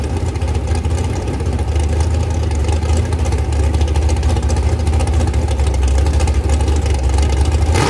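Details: Rebuilt 426 Gen 2 Hemi crate engine (new heads, intake, pistons) on a run stand, flat-tappet cam break-in at about 2400–2500 rpm, 32° timing, kept under 2,800: deep, smooth, even V8 drone, no ticking or clatter; normal high idle.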